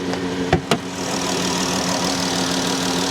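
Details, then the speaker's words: 3.6 V6 at salvage auction, listened under the hood; after a couple of clunks, steady even hum, idle bouncing slightly but no misfire heard; healthy idle. "Seems to be running pretty well. Bouncing around a little bit, but I don't think there's a misfire or anything. She sounds like she's running good."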